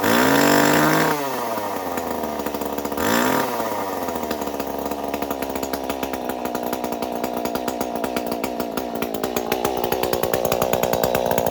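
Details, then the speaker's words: Stihl 019 top-handle chainsaw that sat for years, running after a carburetor rebuild, cleaning and choke repair, with no spark arrestor: two quick revs, then a clean, steady run that picks up smoothly. Runs healthy. "That sounds good. Runs great."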